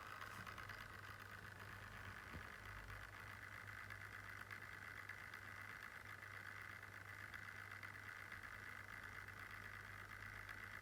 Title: Lenovo Yoga Slim 7 - 4800u idle fan noise sounds errorous